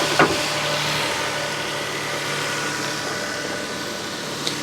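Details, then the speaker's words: Toyota Sienna minivan at salvage auction on a very cold day, timing belt replaced at 124,000 miles; quiet, even hum with no knocks or ticks; normal idle. "look at that listen to that baby purr"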